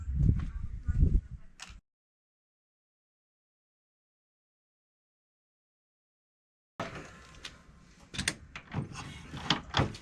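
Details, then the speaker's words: 1960 Harley-Davidson Panhead being carb-tuned after an intake leak test, plugs pulled and cylinders cleared, kicked at half choke and 3/4 advance without priming: heavy kick thumps and clunks, no firing; kick-start no-start. "Won't even bark. Well, it didn't work out as I would hoped it would."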